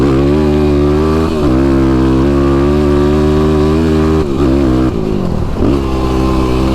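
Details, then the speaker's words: YFZ ATV with a new tuned Vortex ECU replacing the flashed ECU, accelerating hard: a strong, steady single-cylinder pull with clean throttle changes. The backfires and fog of the old flash tune are gone; acceleration is normal. "Another thing I've already noticed, I'm not getting the backfires and that fog is gone."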